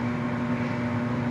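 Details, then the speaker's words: Lincoln Idealarc 250 welder cooling fan after regreasing bearings whose grease had dried up (they were otherwise fine; it had been very loud before): smooth steady whoosh with a low even hum, no rubbing or rattle, healthy. "That's a world of difference. That thing just sounds super, super nice. Yeah, that thing sounds fantastic."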